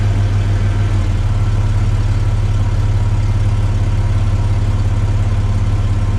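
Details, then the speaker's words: Chevy S10 after the exhaust was repaired, replacing the restrictive factory 2 in twin-cat system: steady, deep, even rumble with a mild burble, no rasp or rattle, quieter in the cabin; sealed, healthy exhaust. "It's much more quieter in the interior. And it has a nice little rumble to it still."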